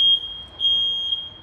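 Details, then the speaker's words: Second detector tested with smoke, then alarms; shrill high-pitched tone in long pulses about half a second apart, different sound from the first, working properly. "He bu da öttü arkadaşlar Evet bu da böyle ötüyor değişik güzel operasyon başarılı"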